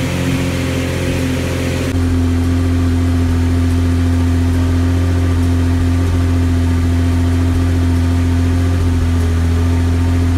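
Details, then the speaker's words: Jeep WJ 4.0 after fuel filter leak repair, restarted after an earlier 10-minute run, with some Seafoam added: steady low idle with slightly uneven, loping beat; now idles on its own but still rough. "it's idling right now and you can see it's rough but it is Island on its own"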